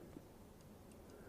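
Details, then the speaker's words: Sinnis Apache 125 with a newly replaced front brake light switch: faint crisp clicks as the lever is worked, which is normal. The old corroded switch made no click and the brake light had failed. "as you guys can actually hear the clicking sound that's what how it should be"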